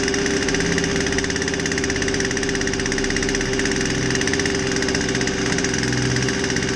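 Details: Poulan 2150 chainsaw with a won't-start complaint, after a basic tune-up with a fresh air filter: steady, even two-stroke buzz at constant speed with no misses, surging or knocking; running smoothly.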